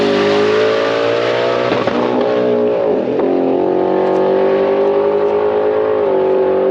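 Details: Blue car on an aborted drag pass: the engine screams and holds one high pitch with brief stutters instead of dropping into the next gear. Shift points are commanded too late, so it bounces the rev limiter; it only shifts when he lets off the gas.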